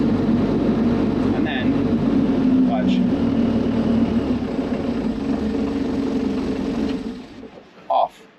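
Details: Used excavator, restarted after a dealer-guided fix restored throttle control: even diesel drone holding steady speed, then winding down and stopping cleanly when switched off with the key. Runs normally.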